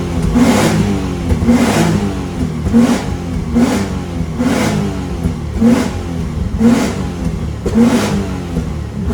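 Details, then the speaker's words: Nissan 350Z (Z33) VQ35DE after valve stem seal and timing chain replacement, driving: repeated smooth rev pulls with no ticks or rattles; normal acceleration. "so right now we are dusting out the pony and uh so far she's driving good"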